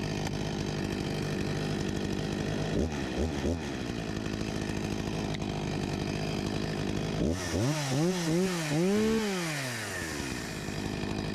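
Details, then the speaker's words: 1989 Husqvarna 254 G two-stroke chainsaw after carburetor refurbishment, idle about 3000 rpm, 13,000+ rpm unloaded: even idle burble with several quick throttle blips that rev cleanly and drop back; healthy. "Sounds like a good speed right about here 13.000+ RPM with no load ... and to think this saw is 35 years old (1989)"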